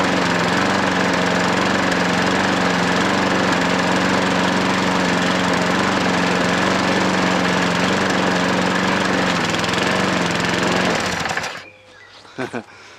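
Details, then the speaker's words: Hayter 43 lawnmower engine that had been hydrolocked, running after clearing the oil: steady, even putter with no misses or knocks until shut off, a little exhaust smoke; running fine. "But a little bit of smoke on it exhaust, nothing. Really is nothing. I mean, it might burn a bit more. Seems to run alright, doesn't it?"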